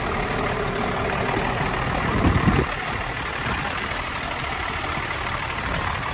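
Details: Truck engine idling smoothly with a steady rumble, no knocking or stumbling, just a brief bump midway; sounds healthy.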